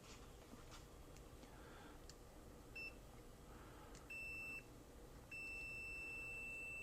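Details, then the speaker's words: Multimeter in ohms/continuity mode on a dead circuit, wire cut to a single strand: three clean high beeps, last held two seconds, showing continuity from point A to B despite the damaged wire. "Now, the circuit is dead, so there's no electricity on it right now, but let's check for continuity between point A and point"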